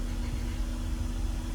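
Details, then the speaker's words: BMW E46 petrol six after vacuum leak/CCV repair, with a swapped coil pack: steady, even idle with a low hum, smoothest it has run; idler or pulley noise noted. "wait this is the smoothest this car has run though like by far like I this is running insanely"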